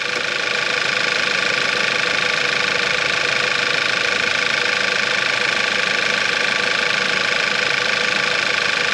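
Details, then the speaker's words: VW Eos after engine and transmission reinstalled, first start following three months apart, fuel system primed: smooth, even idle with light regular ticking about two or three per second, no knocks, grinding or leaks; normal idle. "it sounds good nothing all right nothing leaking out the bottom no abnormal noises"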